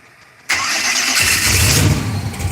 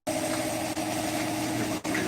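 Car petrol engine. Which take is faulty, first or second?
first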